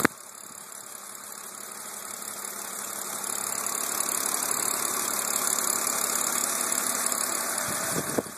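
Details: BMW Z4 E86 Coupé 3.0 Si engine: light, quick ticking over a quiet idle at roughly three ticks a second, steady at constant speed; source unclear.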